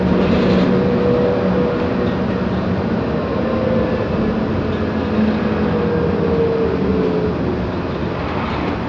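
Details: 2009 MAN Lion's Classic CNG city bus, MAN E2876 LUH03 EEV engine, ZF Ecomat 6HP504C 6-speed automatic, cruising: faint steady whine over road and drivetrain roar; noisy differential.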